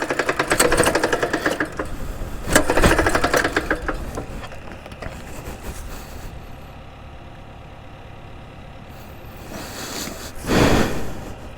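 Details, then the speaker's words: Axis M200 mini bike engine, hot, after chain came off: rough ragged revs with loose mechanical clatter, then dies; engine blown, badly damaged. "oh that does not sound good at all that does not sound like she is gonna come back to life"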